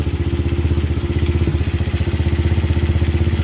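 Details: Kayo 125cc quad, cranked but wouldn't start until the kill-switch tether was pushed fully in: small single-cylinder idle with quick, even put-put pulses, no misses or knocks; normal idle.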